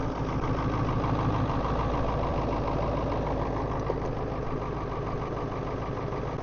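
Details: Ford 7.3 diesel truck in cold weather, about 22°F, aftermarket block heater, glow plugs cycled twice, jump box at 50%; heavy clatter just caught, slightly uneven low rumble settling at idle; rough idle after cold start.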